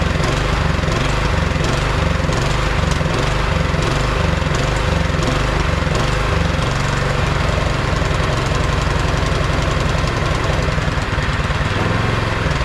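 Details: Neglected 22-inch MTD Yard Machine snowblower, about 5 hp 179 cc engine, electric start: single cylinder chugging unevenly, surging roughly every second; runs only on half or full choke, dies with choke off, before carburetor cleaning.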